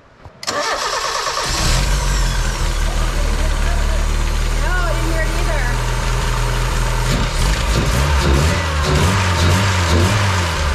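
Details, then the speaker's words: Mazda Miata after fitting an engine torque damper to reduce engine shaking, filmed in the engine bay: starter cranks briefly, engine catches and settles into a steady, even low idle, no knocks or misses; engine noticeably steadier. "it's a lot more steady in there it does all that work I think it actually works"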